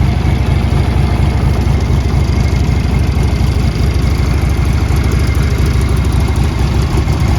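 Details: 1981 Harley-Davidson Tour Glide Classic FLTC Shovelhead 1340cc, 37,447 miles, starts well and has been ridden: loud, deep, lumpy V-twin idle, even loping beat about two pulses a second, no knocks or rattles; healthy engine.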